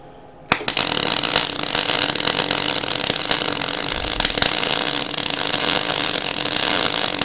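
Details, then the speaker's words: MIG welder with the same settings and the earth clamp moved closer to the weld: steady, even sizzling hiss with no popping or bangs; sounds better, virtually no spatter, good heat penetration, though settings are still slightly high. "once again we're still quite high on that weld but it sounds a lot better it feels a lot nicer your guns not bang bang bang bang bang bang bang hasn't got a hell of a lot of splatter"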